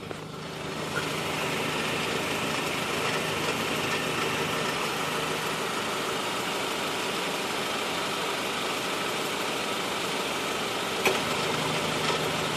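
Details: 2013 Honda Civic at cold idle with AC on: constant low droning hum under the engine note, described as an AC clutch noise that goes away when the clutch pedal is pressed; source not yet found.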